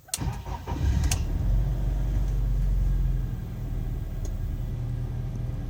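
Engine catches after a short crank, then settles into a deep, uneven idle with a faint hunting pulse; rough cold idle from a faulty MAF.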